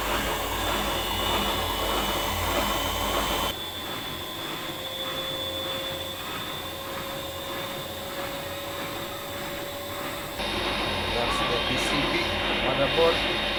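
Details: Old heavy Siemens German washing machine with suspended drum and concrete counterweights, spinning up to speed: steady high whirring hum, faint even tone, no knocking or banging; drum moves on suspension but machine stays stable; normal spin.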